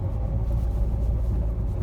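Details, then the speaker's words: 2012 Renault with an EDC gearbox, 115,000 km: a deep growl and hum that starts as soon as the car moves and rises with speed, from a worn gearbox bearing. "ciddi bir uğultu sesi hırıltı sesi araçtan geliyor hareket etmeye başladığımız an ses başladı"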